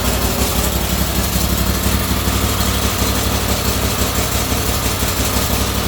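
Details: Turbocharged go-kart engine, about 25–26 hp, timing advanced 5–10 degrees, 2–5 psi boost, no boost-reference regulator: small barks over a steady, even beat with no misses or knocks; normal running.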